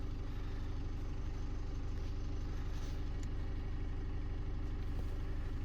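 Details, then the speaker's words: Chevy Duramax diesel idling down after a commanded DPF regeneration of about 10–15 minutes, exhaust heat shield near 585–600 degrees, during Poor Quality DEF troubleshooting; steady, even low rumble, no knocks or whine, a healthy idle. "okay sounds like everything's idling down now it's been about 10 15 minutes i'd say and it's all idling down"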